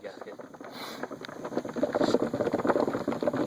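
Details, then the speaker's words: Coolant reservoir gurgles and pops about three bubbles a second like a percolator as combustion gas is forced through the water jacket; blown head gasket, though the triple-core radiator never overheated, owner suspects a bad thermostat; head gasket replacement pending. "hear that that's a sure sign of a bad radiater or head bad head"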